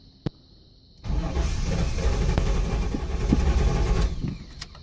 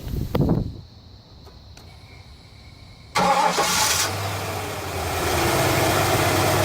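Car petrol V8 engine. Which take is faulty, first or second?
first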